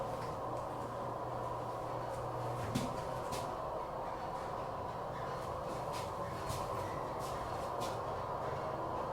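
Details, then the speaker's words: Schindler 300 hydraulic elevator in a poorly maintained parking garage hums steadily while running, with occasional squeaks and sharp knocks breaking through. "One of them went squeak, squeak, bang, bang."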